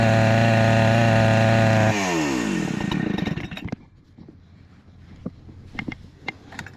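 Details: Husqvarna 288XP two-stroke chainsaw, rebuilt with new cylinder, piston and swapped crankcase, holds a steady high scream about two seconds then winds down cleanly; runs healthy after lean-running problem addressed.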